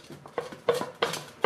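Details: Front and rear driveshafts removed from the truck, u-joint rocked by hand giving sharp metallic clinks; a worn, loose u-joint on the bad side of the shaft; it is then replaced and the truck drives well.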